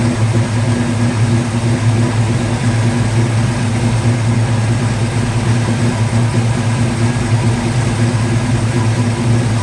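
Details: 1950 Ford F1 truck engine after many years sitting in a barn, started with an MSD ignition box, hardwired fuel pump and a power probe: low, steady rumble at an even pace with no misses, knocks or ticks; idling smoothly.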